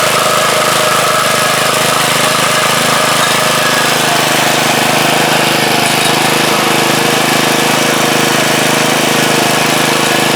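Steady, even single-cylinder putter with a busy mechanical rattle over it, no misses or knocks; small engine running healthy.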